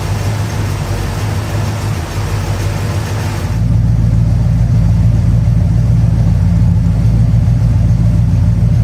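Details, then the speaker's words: 1969 Plymouth Fury III V8 idling during a 30-minute run; transmission still leaking: deep, steady burble settling into an even rumble with no ticks or leaks; normal idle. "I'll uh bring you the back and uh let you hear that exhaust uh it really does sound good"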